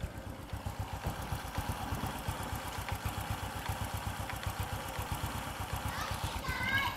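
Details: Vietnamese Suzuki FU (Fu 2) motorcycle after repair of persistent white exhaust smoke and a repair removing an echoing clack; steady, clean single-cylinder putt at about four beats a second; normal idle.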